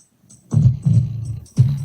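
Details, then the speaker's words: 1982 Panasonic RX-C100 boombox playing tape at raised volume: each deep bass note comes out buzzy and rattling from the rough speakers; owner thinks it's age-related and an easy fix. "Yeah, just the speakers are pretty rough, so I'll show you how that is."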